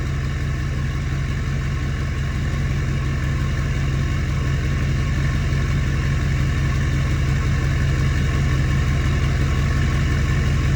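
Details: Ford F-350 Super Duty 6.4 Powerstroke after new billet-wheel turbo install, not yet at hot idle: deep, steady diesel idle near 780–790 rpm, no whistle or rattle from the turbos; sounds healthy.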